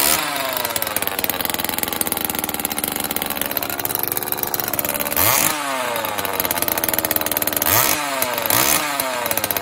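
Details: Homelite XL chainsaw after carburetor rebuild and new fuel/oil lines, cold start on choke: crisp high two-stroke scream dropping and snapping back cleanly on throttle blips, chain oil pumping; normal running.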